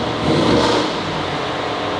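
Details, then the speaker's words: Mercedes GLE63S (Brabus-style build) V8 at idle with cooling fans running full; an earlier suspected misfire seems to have cleared, now steady and much smoother, maybe just needed fuel through. "At first thought it was misfiring, but it seems to have cleared now. It has been a >> seems to be much smoother."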